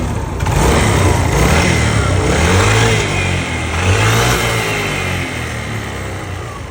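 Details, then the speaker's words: Yamaha Nouvo Z scooter, stock carburettor, before restoration and bore-up: fast, uneven ticking rattle about four per second over the engine as it revs and settles; source of the rattle not yet found. "an genjet ya adik-adik alias noupo jet yang di mana motornya ini mesinnya suaranya ngericik dan mau dibard up juga"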